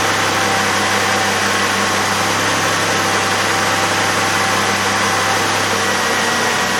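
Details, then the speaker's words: 2002 Chevrolet Impala 3.4L V6 after power steering pump and reservoir replacement, engine idling: smooth even hum with no whine or groan from the pump; fluid level good, a little fluid still pushing out; normal power steering at idle. "you hear the sound went right away almost immediately it's still pushing a little bit out but fluid level's good it's not low"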